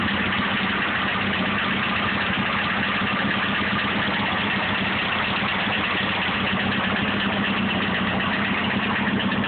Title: Cbr 954 knocking noise????